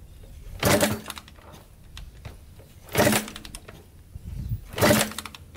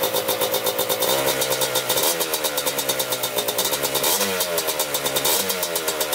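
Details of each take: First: 1987 Kawasaki Tecate 4 250cc quad, first start after rebuild: three kick-over bursts, each dying without catching; fuel is getting through and spark is good, yet it won't start; cranks but won't start. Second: 1987 Kawasaki Tecate 4 250cc two-stroke quad, freshly rebuilt, first start: crisp, even idle with short throttle blips rising and settling cleanly, no misfires or rattles; normal idle.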